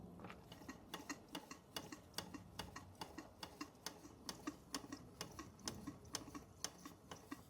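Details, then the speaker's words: Bing 10/110 poppet valve steam engine on its original spirit burner, slowed down: light, even ticking about two beats a second with no knocks or misses, condensation cleared, under 1 bar (about 10 psi); running slowly and steadily. "We got rid of that condensation. Steam only now, and off she goes. What a lovely machine."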